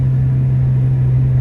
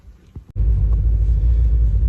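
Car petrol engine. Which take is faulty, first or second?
second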